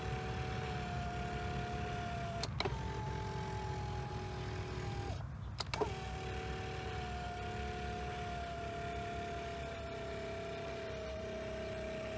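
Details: Flood-damaged 2023 Hyundai Palisade power seat after repairs: smooth, even motor hum with steady pitch through each movement, no grinding or stalling; seat motors healthy.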